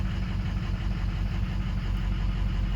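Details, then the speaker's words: Ford 6.0 Powerstroke diesel, just after replacing a cracked number 4 injector tip, run to burn off smoke: low drone with uneven, fluttering firing pulse at idle in gear, smoky; another cracked injector or oil in charge air cooler suspected; rough running. "Holy goodness, she's gonna be a little smoky. Whoa. Whoa, you just saw it. See if it's that before we just put in. God, either that or we just cracked another injector."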